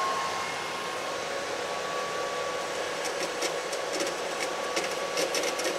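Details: Microhydro turbine at 116 psi, first start of the season after new hoses, supply valve opened fully: steady rushing water with a constant mid-pitched hum from the spinning runner, level and unbroken; running at full speed normally.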